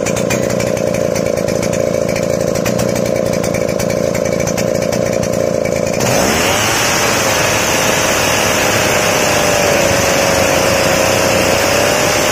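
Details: Chainsaw two-stroke after carburetor mixture adjusted to medium fuel for a crisp note: high even full-throttle scream settling into a crisp, clean, steady pitch; running properly.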